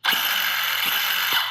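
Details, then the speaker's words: Used ARRMA Big Rock 6S RC truck after the front end was torn down and reassembled to cure a noise: a smooth, steady high whirr from the spinning gears with a few light clicks and no grinding or rattle; normal drivetrain running, problem solved. "This thing's running good."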